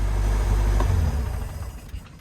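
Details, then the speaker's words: MerCruiser 3.0 inboard in a Stingray 192 RX boat, project boat: deep, even low rumble with no knocks or misses, tapering off near the end; normal smooth idle. "but other than that she's good to go she's a ripper it's a fun little project"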